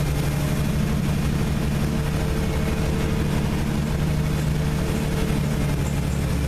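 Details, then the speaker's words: Six-cylinder engine that hasn't run in a good while, just started with starting spray, cold with thick oil, pedal held to prevent stalling: lumpy, sputtering, running on about four cylinders; cold misfire, other cylinders later lighting. "So, it's running, but it's running like crap. It's running on like four cylinders. I can hear it sputtering."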